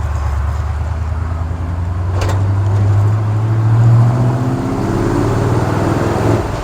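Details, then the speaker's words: 1964 Ford F100 with new headers and exhaust, 4-barrel carburetor, bed full of tires, pulling away from a stoplight: low rumble climbing smoothly in pitch under load then easing, no misfire or rattle; normal strong acceleration. "Strong, feels good. Like I said, I got a bed full of tires right now, but it's tame when you want it to be, not when you don't."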